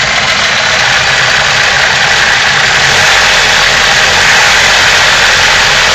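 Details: BMW M42 petrol four-cylinder, 150K miles, fitted with new Bosch 0280155710 injectors: uneven, wavering rough idle instead of a smooth steady hum.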